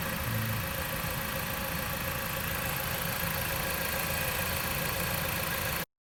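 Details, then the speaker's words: Jeep Patriot 2.4 after top-end repair for a knock: worn, scored camshaft rockers and head restored, valve clearances (exhaust had measured 0.30–0.55 mm) readjusted, old chain kept, new cover. Reassembled engine started: steady, smooth idle, no tapping or knock, normal. "Окончательно собрали двигатель и запустили."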